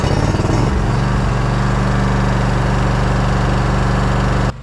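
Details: Zero-turn riding mower that had clicked and would not crank, now fitted with a new battery and restarted after about an hour and a half of mowing: the engine fires up, runs with a steady low thrum, then cuts off.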